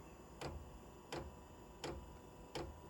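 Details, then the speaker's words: VEVOR 5 kW 12V diesel heater at startup; it didn't enter prime mode, and the red light is thought to be the glow plug. Crisp, even ticks about every 0.7 s from the dosing pump, metal hitting metal inside its cylinder; normal. "you hear that that's the fuel pump if you remember what i was showing y'all how it works that cylinder that's why it makes that thump thump thump because every time it pumps it that metal is hitting metal inside that pump"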